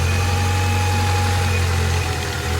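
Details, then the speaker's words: Four-cylinder Honda Accord right after all new plug wires were installed, starts and idles perfectly with a steady even hum, no misses; all four cylinders confirmed firing. "It starts up, runs perfect. Idle is perfect."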